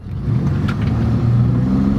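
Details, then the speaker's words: Ex-police Chevy car, V8, with its muffler blown out after the owner tried to make the exhaust shoot flames; a deep, loud exhaust roar swells as it pulls away, far louder than stock. "muffler's a bit loud but there's a reason behind it the man who owns this car is also the man who had the famous flame throwing volvo that i filmed months ago and he wanted flames to come out of this engine but he blew the muffler out so he stopped that idea"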